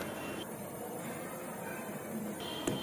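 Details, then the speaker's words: Godrej refrigerator that is not cooling, compressor drawing 4 A, with neither discharge warm nor suction cold: a soft, steady hiss of refrigerant flow in the freezer, meaning no choke or blockage in the capillary. "लगातार सरसराहट की आवाज का मतलब इसमें चोक या blockage नहीं है।"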